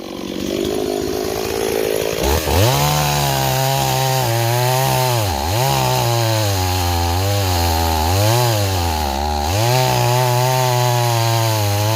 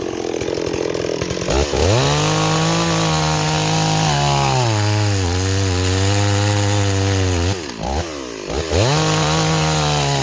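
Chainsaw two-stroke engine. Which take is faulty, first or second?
first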